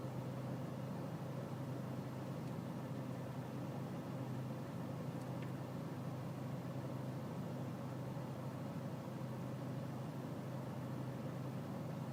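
Diesel idling with a dull uneven chug and slightly irregular beat underneath; rough idle, cause not clear from sound alone. Cause suspected, not confirmed.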